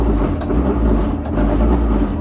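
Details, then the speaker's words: Maytag washer model MVWC565FW2 on spin cycle: steady grinding with rough low drone, never reaching full spin speed. "So curious what you think this noise is. It doesn't seem to want to spin."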